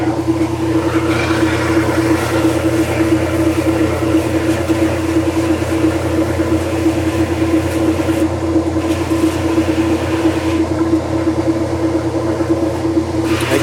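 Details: A Kenmore washer that sat six months and stopped mid-wash, running with its broken lid switch bypassed. It has a constant motor hum with a steady mid-pitched tone and an even, roughly once-per-second churn, and the wash cycle runs normally.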